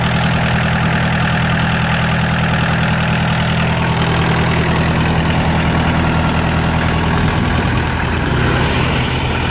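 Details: Kubota L3202DT four-wheel-drive diesel tractor, used, engine never opened up; steady, even low diesel chug at idle with no knocks or misses; normal idle.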